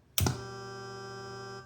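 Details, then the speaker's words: Taito Ice Cold Beer arcade game with reproduction PCB: thump at switch-on, then an even electrical buzz about 1.5 seconds while the program loads, stopping cleanly as the game board takes sound control; normal power-on buzz. "when you first power up an ice cold beer you're going to hear kind of a buzzing for about a second or two as the program loads and the the game board controls the sound output it'll actually go quiet"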